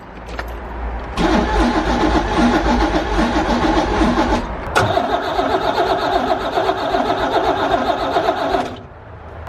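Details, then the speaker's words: 1985 Pontiac Fiero kit car, abandoned 15 years: starter turns the engine over briskly and evenly through two long tries but it never catches; no fuel delivery, owner suspects a dead fuel pump and plans to replace it. "It's got good crank, but I'm still not getting fuel."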